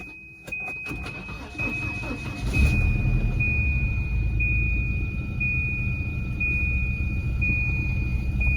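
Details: Volvo 245 that would not start until a loose ground was wiggled: engine catches after a brief crank and settles into a steady, even idle; starts and runs normally.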